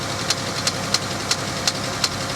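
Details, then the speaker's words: Pontiac G8 GT at a salvage auction, listed as a non-runner but starting on a jump pack on a snowy day: sharp, evenly spaced ticks about three per second at idle; upper-end tap or knock suspected. "that's an upper end tap okay it's an upper end knock"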